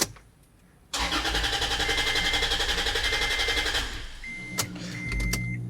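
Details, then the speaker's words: Toyota FJ Cruiser with crank-no-start after the evaporator was replaced and a removed part was left unplugged: about three seconds of steady, even cranking with no firing; airbag light on; code B2784, open immobilizer antenna coil circuit. "So nagpagbalik nila nung mga tinanggal nangyari naging ano na lang siya crank start cranking na lang. Ayaw ng umandar."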